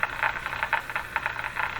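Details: 1935 Rogers Model 7R622 tube radio during broadcast-band alignment at 1440, generator set to weak signal: soft steady hiss with faint uneven crackle and no clear program — weak signal hiss on a working set.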